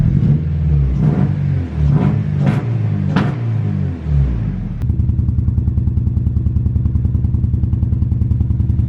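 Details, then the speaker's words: Turbocharged EK at idle sounds like a Subaru: a lumpy, stumbling beat with a dead-cylinder shake. One clogged injector means that cylinder is misfiring; unplugging it changes nothing, while unplugging the others makes it worse. "that's because one of the injectors is clogged on this thing"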